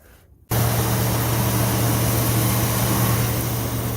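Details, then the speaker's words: 1964 Ford Thunderbird just after distributor replacement, plug wires moved one spot over, before timing fine-tuning: engine starts instantly and settles into a steady, smooth idle with a low hum, no misses or stumbling. "started instantly right up uh you can hear it's running smooth"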